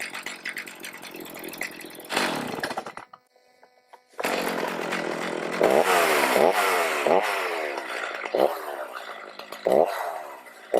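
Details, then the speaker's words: Stihl MS310 chainsaw after after-storage no-start fix, carb limiters at middle, L and idle screw readjusted, chain oiling well: crisp two-stroke revs up cleanly, then pulls steadily through a cut with even bogging and recovery; healthy running. "I can see that it's oiling really well. Show you guys how it runs real fast, and then we'll go cut a little bit of wood."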